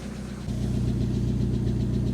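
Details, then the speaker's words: Fire-damaged Mazda MX-5 Mk1 after replacing ECU and temporarily swapping both immobilizer parts with new key: engine settles into steady even idle with smooth low pulses, no stumble or misfire; much smoother than before. "now that sounds better that is a smoother engine sounds loads"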